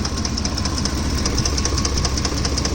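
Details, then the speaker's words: Ford F-150 V engine, noise only when hot; fast, fairly regular light ticking about 150 a minute over idle, loudest at the top of the engine and very loud; owner suspects left-side camshaft or chain, unconfirmed; top-end knock. "is it some form of a v engine so I have to think something's wrong with the camshaft on the left side"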